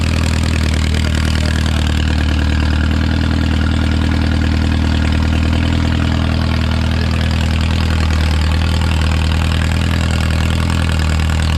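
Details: Original early-1950s engine of a Renault 4CV (car a 1952; engine failed early 1950s with cracked block, weld-repaired), reassembled and run for the first time in ~70 years, warm: steady even low thrum at constant idle, no knocking, ticking or misfire, barely smoking; normal idle.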